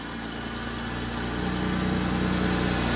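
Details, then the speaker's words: 2001 Pontiac Bonneville after work on a misfire and check engine light, with the ignition module underneath possibly involved: even, steady idle with a smooth low thrum, no stumble or skipped beats, firing cleanly on all cylinders. "so well that sucker sounds good that's my favorite problem all the time good"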